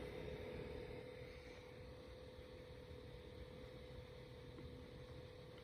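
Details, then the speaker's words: MSI GP66 laptop at near idle with one Chrome tab, fan around 2400 rpm, even in silent mode and on battery: steady mid-pitched whine over soft air rush; loud fan noise at idle. "see it's just one google chrome tab open the laptop is mostly on idle and it's around 2400 rpm now i'll be quiet so you can hear the voice"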